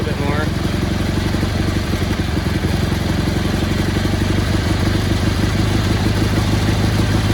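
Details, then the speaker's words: Cub Cadet 1430 garden tractor revived after years abandoned, after fitting a new spark plug (old one suspected fouled) and adjusting the mixture: steady, even low thrum with consistent firing beat, no stumbling; healthy idle. "he seems pretty happy right there not too shabby"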